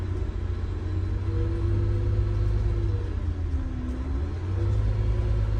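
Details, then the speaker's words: MCI 9 coach on a test drive after replacing very bad wheel bearings, king pins and air bags: low steady engine rumble with no growl or hum rising with road speed; the engine is now audible where wheel bearing noise once drowned it. "yeah I can hear the engine today and the other day I couldn't hear the engine because of the wheel bearing noise yeah it's amazing"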